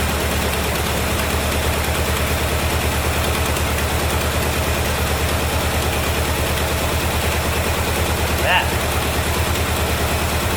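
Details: 1973 Chevrolet Corvette C3 revival, run after a shot of gas down the carburetor, wheels not turning: steady, even low burble with regular firing beat, no knocks or misses; a little smoky; normal idle.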